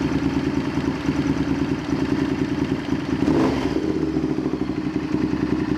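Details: Honda VTR Firestorm V-twin idling with a loping, slightly uneven beat and a brief blip midway after vacuum adjustment with a screw wound most of the way in; running better but idle still not right.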